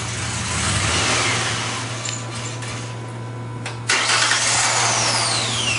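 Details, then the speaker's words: Engine just after throttle body cleaning: uneven, lumpy idle with steady low drone and hissy overtones as leftover cleaner chemical burns off; rough running from burning throttle body cleaner. "now this is how it's gonna sound it's gonna sound like a piece of junk when we crank it up okay that's right that's all that chemical being"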